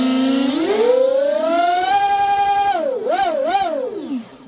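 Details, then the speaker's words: Twin brushless RC boat on 6S after TFL Zonda motor mount and drive line upgrade, bench test: clean electric whine climbing smoothly with throttle, dipping and rising on quick blips, no rattle or grinding; drive line healthy, normal running. "good. Sounds good. I don't think it could sound no better, you know."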